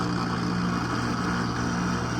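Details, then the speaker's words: Outdoor AC condenser unit, installed 2016, about six years old, not cooling with the fan running; loud steady rough hum; suction pressure would not pull down below 188, confirming an internally failed compressor, premature failure, possibly under warranty. "它的声音特别响，我们看一下啊。哇，好像是压缩机的声音，哇，好像是压缩机的声音。"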